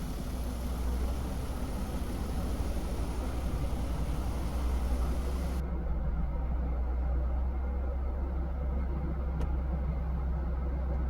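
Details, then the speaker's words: Mercedes-Benz W202 C280 petrol engine, hot, after idle adjustment (previously about 1000 RPM in park/neutral, 500 RPM in gear): steady low even hum with no surging; normal idle, now perfect in all gears. "Our idle is now perfect in all gears."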